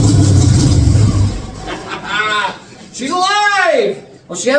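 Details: 1946 Chevy truck rat rod on first start, oil pressure present: catches with a low rumble, then revs climb and fall in clean smooth sweeps; healthy first start.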